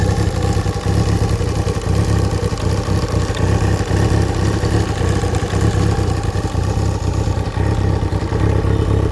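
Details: Kawasaki ZXR 750 engine idling and revving with a dull clatter under the exhaust note; engine knock.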